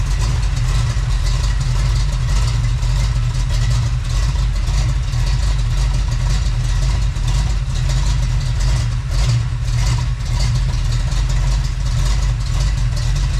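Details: Freshly built Chevy small-block 350 (roughly 355), on first test run before full heat; steady deep V8 burble at low idle, even unbroken firing, no ticks or knocks on top, healthy idle.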